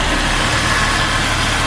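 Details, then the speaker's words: Jeep engine warmed up a little, idling without throttle: steady idle with a light, fast tick riding over it; engine ticking at idle, cause not yet pinned down. "I think I just figured out with that ticking noises what I was hearing"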